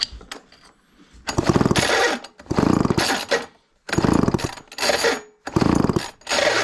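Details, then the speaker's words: Garage-sale chainsaw with good compression given five quick pull-cord strokes, each a ratcheting flutter with no firing; spark plug check shows no spark. "not seeing any spark with that"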